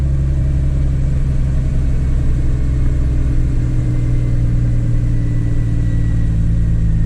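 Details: 2003 Chevy Trailblazer LTZ 4x4 4.2 I6, 226,695 miles, just after new valve cover and intake gaskets, plugs and coils for a P0305 cylinder 5 misfire: stumbled briefly at start, then a deep, even idle settling to a steady hum with no misses. Normal idle.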